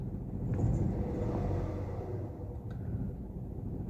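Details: Toyota 1KR petrol engine idling roughly with an uneven, lumpy stumble and engine warning light: one-cylinder misfire, with code P0353 for an ignition coil circuit fault.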